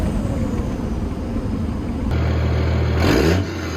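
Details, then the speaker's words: Cummins diesel truck after exhaust brake work climbs under throttle, then gives a short rising whoosh with a quick flutter on lift-off, now a full blow-off sound instead of the earlier slight whistle. "When I let off, it's not just like a little bit of a whistle. It's like the actual, like, Cummins blow-off sound."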